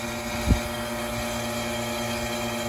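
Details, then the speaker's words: Home central AC outdoor unit: compressor hums steadily but the condenser fan isn't running, with no fan rush, because its failed capacitor still starts the compressor but not the fan. "आप सुन सकते हैं कि AC system चल रहा है, लेकिन समस्या यह है कि पंखा नहीं चल रहा है!"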